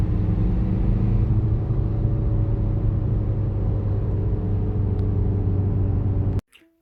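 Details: VW-group car with a worn clutch release bearing, heard while the clutch is pressed. A low steady rumble with a constant whirring hum; the bearing is disintegrating and shedding plastic particles found in the bell housing.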